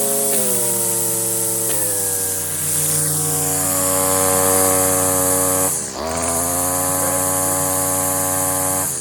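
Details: Stihl FS56 residential trimmer with a self-feed head, cutting tall, thick grass with the line too long: a high engine whine that drops in pitch as it loads up; engine bogging from overlong line.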